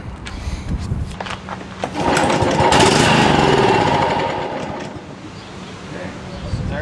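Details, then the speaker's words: John Deere JX75 6 hp push mower, no-start, on full choke with a stiff choke control: repeated recoil pulls whir and rattle but never catch; spark and compression present, so a fuel problem. "so the fact that it starts like that and stops tells me it's pretty much a fuel problem so we've got spark we've got compression and for combustion and so we're just looking at a fuel issue"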